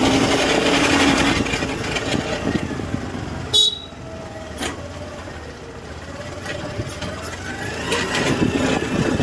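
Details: Honda Activa BS6 (CNG) scooter running: rough rumble and faint wavering whine from the rear wheel drive, from worn final-drive gearbox bearings.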